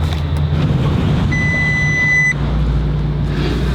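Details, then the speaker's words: Lamborghini Gallardo with a tune, driving: the engine drones while one warning chime sounds for about a second; the car is not happy, cause not pinned down. Warning chime with rough running. "Oh, this thing is not happy."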